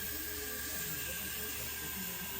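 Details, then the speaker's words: Briggs and Stratton 21hp Intek engine (model 331877) on a Craftsman YT3000 lawn tractor, leak-down test at 75 psi reading about 12: steady, unbroken hiss of escaping air, around 80% leak-down, from a blown head gasket. "And we are just absolutely blowing air out of here. So don't even need to do the math on that. We're at a 80% leak down."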